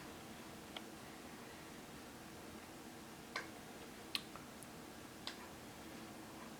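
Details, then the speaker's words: TimeUSB lithium battery and charger, with LEDs flashing red and green as the charger and battery protection interact. Faint, irregular ticks about a second apart are the charger switching modes to hold voltage without overcharging. Normal maintenance-mode ticking. "the ticking sound you're hearing is the charger switching modes as it maintains the battery voltage without overcharging it"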